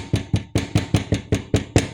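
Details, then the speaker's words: Dacia Spring, 65 hp: sharp plastic clacks about five a second as the front bumper is struck. Loud over cobblestones and first thought to be the anti-roll bar, it is actually loose bumper retaining clips; pressing the bumper stops it. "Das sind einfach nur diese blöden Drecksklammern von der Stoßstange und die sind so laut, dass du denkst, dein Auto fällt innen auseinander, wenn der über Holpersteine fährst."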